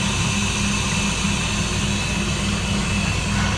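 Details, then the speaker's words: Hoshizaki ice maker, pump running: steady low hum with a faint pulsing tone as water circulates across the coil and refrigeration makes ice; normal cycle, the water then stops on time. "once it stops filling we're just going to be circling water across the coil and our refrigeration cycle is going to go while it produces"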